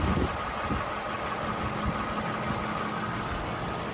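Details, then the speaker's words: 2007 Toyota Avalon XLS with 167,000 miles, hood open: a smooth, even idle with a steady hum and faint whine, no knocks or misses, so the idle is normal. "Right here for a moment so you can listen to it at idle."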